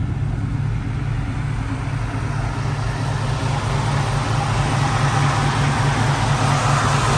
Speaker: pretty sure it has like the stock 289 camera i mean it does have a small lobe to it but you know